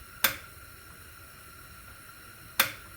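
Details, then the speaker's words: Transbrake solenoid, newly wired through a solid state relay with a Biondo button switching the negative side. Two crisp clicks, one per button press, confirm the solenoid switches properly. "This energizes the relay. This is my power going through, and then my Transbrake button is negative, and it goes right there. See if it works. Hit it, Chris. You'll hear it click."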